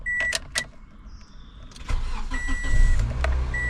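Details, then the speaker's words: Toyota Corolla S manual, about 224,000 miles, after sitting a while with no battery tender, cranked in neutral with the clutch in: chimes and clicks, then prompt crank and catch into a steady low idle; a normal start. "Fire it right up so so you got to let it run before you take the clutch your foot off the clutch make sure you're in neutral everybody"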